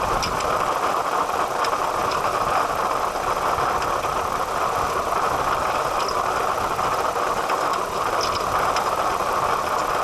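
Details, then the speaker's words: 2008 Toyota Highlander 3.5L V6 at idle: constant high singing tone over the engine with the water pump pulley visibly wobbling; failing water pump bearing, before replacement. "there it is o8 highlander and it sounds like the water pump singing"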